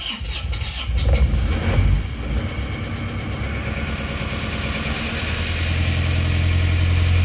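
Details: Isuzu Panther diesel, first start after repairing a leaking exhaust valve on cylinder 4 (previously 15 bar compression) and replacing the rings: slow cranking catches after a couple of seconds, then settles into an even, steady idle; healthy start.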